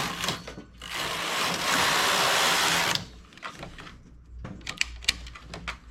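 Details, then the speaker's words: Domestic knitting machine carriage, 95 stitches, single 2/30 100% acrylic lilac yarn, tightest tension lever position: hissing, rasping two-second pass then scattered clicks; carriage drags, possibly harder because of the acrylic yarn. "کیا 100% ایکریلک کی وجہ سے اسے آگے بڑھنے میں زیادہ دشواری ہوتی ہے؟"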